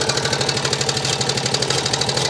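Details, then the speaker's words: 2004 Honda Rubicon 500 ATV with 347 hours and 886 miles: a sharp, regular knock over the idle that tracks engine speed, along with a coolant smell and dripping coolant. Cause not yet found. "We'll start it up. As you can hear, that does not sound good at all. And when I had it running, I smell coolant."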